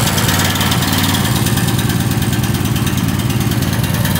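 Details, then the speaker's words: Gasoline engine after diesel contamination fix, fuel drained and refilled with gas, carburetor not disassembled so some diesel may remain; starts right away and settles into a steady, even idle without misses or knocks, smoking slightly; normal idle. "Wow, I didn't expect it to start right away."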